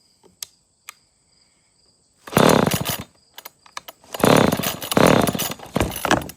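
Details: Old Homelite chainsaw (70s or 80s, has compression, air filter mostly gone) fails to start: several rough pull-cord bursts of cranking, each dying straight away with no catch or firing.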